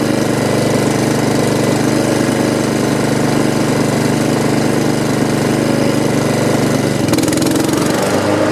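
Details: Honda HRX217 mower after repairing oil leak under engine, started for stress test: steady even small-engine run, constant pitch, no misses or knocks; running normally.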